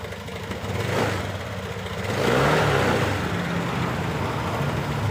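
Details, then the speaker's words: New Honda Beat LED deluxe scooter that died with DTC code 7, restarted after clearing DTC; smooth steady idle then clean rev rise settling evenly, now normal; loose EOT sensor socket suspected and to be cleaned/tightened. "[Musik] Oke, sudah normal."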